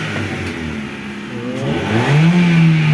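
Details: Chevrolet Cobalt revving after the muffler with failed internals was refilled and closed up: a smooth, deep, even exhaust note with no rattle, buzz or blowing.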